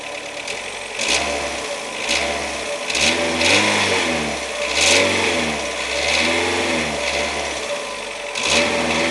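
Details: 2007 Renault Logan 1.6 8-valve engine, driven about 20,000 km with the knock: repeated revs show a knock over the engine that quickens with rpm; cause unknown.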